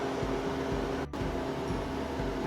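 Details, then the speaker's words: Harvest Right freeze dryer, first test run after cleaning, door sealed, freeze mode just started: even, low compressor hum with a steady tone and fan rush, no knocks or rattles, like a lab refrigerator; normal freeze cycle. "I'm gonna hit freeze. So right now, it sounds like a lab refrigerator."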